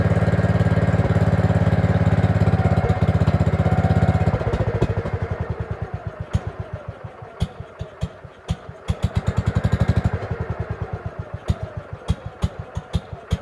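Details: Gravely 5665 with a China replacement carburetor (after a 15hp carb was tried), air cleaner on, runs only on choke: steady four seconds, then slow uneven thumps about two a second and stumbling; owner suspects air leak past the loose throttle arm, running lean.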